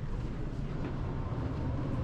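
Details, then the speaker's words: Fan coil unit with electric emergency heat, in cooling mode with fan on high: steady, even airy rush with a low hum underneath, no knocks or squeals; blower runs normally. "I think I could hear the fan running yeah you hear the fan around that's for sure that's good"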